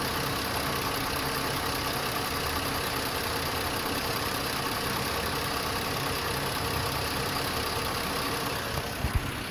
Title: Lifter tick?